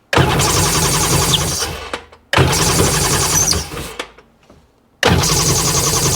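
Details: 2002 Sea-Doo GTX DI, originally complaining it won't rev: two bursts of starter cranking of about two seconds each with no firing, even after bypassing the air compressor with a shop compressor. An air leak is suspected.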